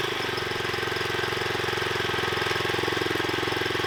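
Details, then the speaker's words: 79cc Predator engine on a homemade trommel with a new centrifugal clutch, at low throttle: quick, even firing pulses with a steady beat; healthy idle, clutch disengaged and trommel not turning. "The motor's running, the trommel's staying put. Yep. I like it."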